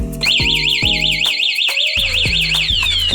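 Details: Honda Wave 110i with newly installed model-specific anti-theft alarm, demonstrated by tampering with the ignition key slot: loud warbling siren cycling with chirps and a short tone break; alarm triggered, engine won't start, and a remote press silences it.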